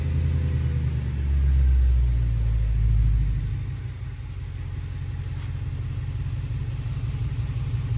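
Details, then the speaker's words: Audi bought at auction with misfire and tailpipe smoke, fixed by re-timing (a shifted adjuster, likely moved on a cold start before pressure built): revs drop to a smooth, even idle with no stumble, no smoke, no EPC light; running normally. "Yeah, RPM's dropped. It's running smooth. No EPC light."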